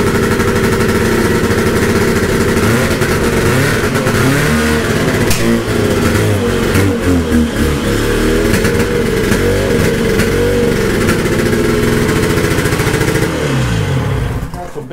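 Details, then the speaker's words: 1972 Ski-Doo Nordic two-stroke snowmobile on very old Bosch plugs: ragged, uneven revving with popping and stumbles; sounds like it is down to one cylinder, suspected plug misfire. "the way it's popping back sounds like plugging them right down to one cylinder now"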